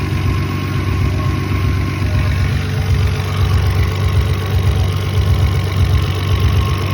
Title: 7mge rough idle